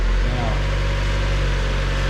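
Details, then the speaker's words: 1999 Mazda Miata 1.8 manual, after coil pack replacement for misfire, rough running and P0420 code: even, low, steady idle with no miss, idling down as it warms up; owner believes faulty coil pack was the cause. "so right now sitting here idling no problem it idle down as it warms up"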